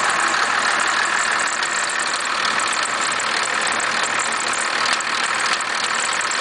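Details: 1991.5 First Gen Cummins 12-valve diesel, just bought, cold start at about -10 with slight squealing: clattery idle with an irregular rattling tick on top. The owner cannot pin down the source of the knock/rattle.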